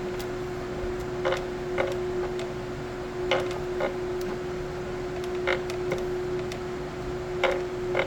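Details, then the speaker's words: Ace Pro filament feeder, slot 2 loading during printing: steady motor hum with irregular creaks and clunks about every two seconds, wheels not slipping but filament not pushed; creaking feeder with weak filament feed. "You can hear more of the clunking and going on inside. Nothing is slipping on the wheels. It's just not pushing. And this is weak."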